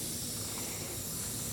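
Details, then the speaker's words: Motorcycle tubeless tire punctured by a screw, before plugging: steady, high, even hiss with no rhythm as air escapes through the open puncture in the tread; tire air leak. "And I can already hear it hissing."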